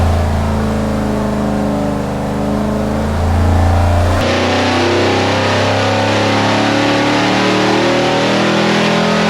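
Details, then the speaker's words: Big block Chevy 489 on dyno, after reshaping plug boot contacts on front passenger-side cylinder: pulls hard at full throttle, then note cuts and turns ragged at top end; high-rpm misfire, cause suspected, not confirmed. "Nick is still trying to get the front cylinder on the passenger side working."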